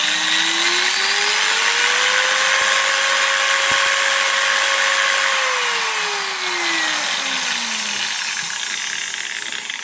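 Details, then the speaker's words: Makita 9565CVR 1400 W 125 mm variable-speed angle grinder under test: whine climbs to full speed, holds, then winds down with a harsh crackly edge, heavy sparking at the commutator; faulty armature confirmed. "ready for boarding on a pole speed it was a lot of spark here so that means it's definitely working not sure that is okay which is it must work okay now it's one of the way now we know that the armature is bad"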